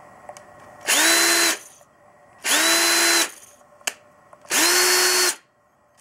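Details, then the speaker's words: Ryobi CDC1802 18V ONE+ cordless drill-driver, 3 years of heavy use, planetary gearbox, 1300 rpm max: three short trigger pulls spinning up smoothly with thin high squeal from the speed controller; normal, healthy run. "Так ну что показать вам как крутит работает двигатель"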